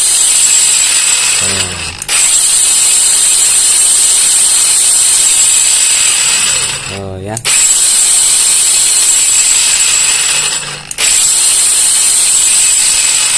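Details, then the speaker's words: Kamolee cordless brushless battery angle grinder after greasing the gears to quiet a rough gearbox: three short bursts of steady high whine spinning down cleanly, only a faint gear hum left; runs smoothly. "Nah ini Coba kita tes dulu untuk suaranya ya sudah kita kasih Gris Biasanya kan kalau ah Ca dulu deh tuh biasnya kerotekotk nah ini Enggak seberapa ya"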